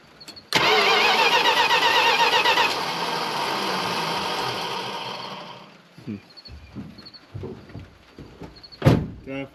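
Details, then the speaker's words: 1975 Chrysler Cordoba, long stored, new battery cables fitted: engine turns over at about four even beats a second without catching; sounds like a low-power starter, unconfirmed. "sounds like a low power starter. Might get to do some pretty serious troubleshooting here."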